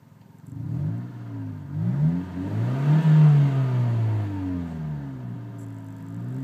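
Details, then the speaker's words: 1998 Honda Civic at about 161,557 miles after an exhaust repair: revs rise and fall with a deep, slightly raspy drone. A slight leak remains from a cracked exhaust pipe that still needs fixing. "it I mean you can still hear a little bit of a wand to it but it's so much wider but I just need to fix that"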